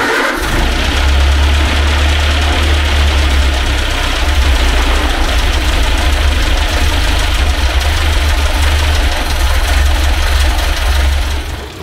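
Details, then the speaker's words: 1930 Ford Model A sedan, first run after sitting for an unknown time, choked and primed with fuel: steady fast idle with even low chugging and no dips, running well above where it should; idle set too high, idle screw could be turned out. "I mean it actually could idle way way down we could almost turn the idle screw out"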